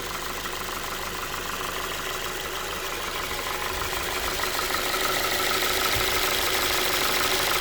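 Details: Ford 2.5 engine at steady idle with a fairly even light tapping of about three beats a second over the engine hum; an engine knock of unknown origin.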